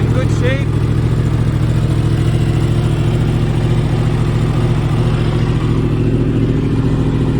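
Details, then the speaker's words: 2015 Yamaha R1 race bike with 7200 track miles, cold start after two weeks unused, carbon intake: steady even inline-four idle with smooth low burble, no ticking or rattles; normal cold idle. "oh that sounds beautiful 2015 R1 perfect condition"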